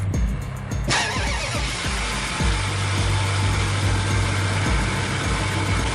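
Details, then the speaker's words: Dodge Dakota after battery temperature sensor replacement, battery above 12 V: fires after short crank, holds steady even low idle with no misses or knocks; charging about 14 V, normal. "This was great. Started up good."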